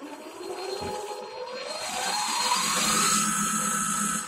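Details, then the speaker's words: Lathe spindle on a homemade electronic clutch-handle speed control, spinning up to full speed: whine climbs smoothly to a steady hum; chuck key holes rattle at low speed; normal spindle run. "most of the noise you can hear there is the Chuck key holes rattling around they seem to rattle when it goes slowly"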